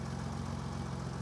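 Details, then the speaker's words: BMW E28 with M30 inline-six, first start just after valve adjustment, engine not yet warm: smooth low idle, much quieter, no top-end ticking, valve lash sounds right; normal idle. "Wow. I don't think I screwed it up. It is heaps quieter."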